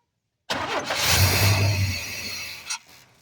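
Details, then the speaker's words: 1991 Chevy S10: the fuel pump engages and builds pressure, but the injectors deliver no fuel. After priming with a squirt of gas, the engine catches, runs rough about two seconds, then fades and stalls. Suspected: the pump isn't continuing after prime. "I squirted a little bit of gas into prime it, fired it up, and then I noticed that it trickled for a second and t"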